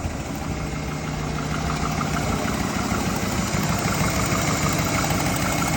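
Steady idle with a light, regular tick about three per second riding over the engine; top-end or piston noise, source unclear.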